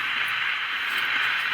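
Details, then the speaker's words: Magnavox AM-80 radio, transistor not getting warm; steady static hiss with occasional faint voice, no station or whistle tuning in; set does not work, cause not found. "I mean, you can hear the static in there, and every once in a while it seems like you hear a voice in there."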